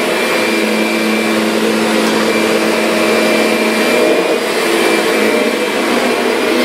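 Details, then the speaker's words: Kirby Sentria vacuum after impeller replacement, loose carpet having stalled the brush roller: steady high motor whine with airflow rush, even and unbroken, no rattles or scraping, motor and fan healthy. "it's a fantastic machine though yeah this thing is doing a great job up mess I made"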